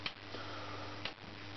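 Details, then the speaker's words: Chinese dual 0–30 V 5 A linear lab power supply: two crisp relay clicks about a second apart over a steady mains hum as output voltage is raised toward 38 V, relays switching transformer taps; normal. "Alors, quelque chose qui est pas mal, on entend des bruits de relais. Voilà, donc ça monte jusqu'à 38. Et le fait qu'on entende des relais, c'est quelque part c'est une bonne nouvelle aussi."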